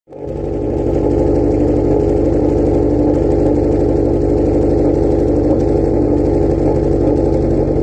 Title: What a misfire sounds like.